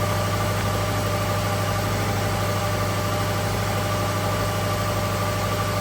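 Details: 2012 Subaru Legacy 2.5 EJ25 SOHC after head gasket replacement, exhaust smoking off as it heats: steady, even idle with a low smooth hum, no knocks or ticks, unchanging level; engine idles healthy.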